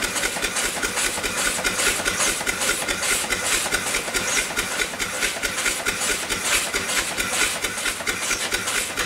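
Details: Upright steam engine, sat for years, running after repair with eccentric timing corrected and undersized O-rings not sealing well: soft even chuffing a little over two beats a second over steady steam hiss at low pressure, below 20 psi with a weak fire; normal running.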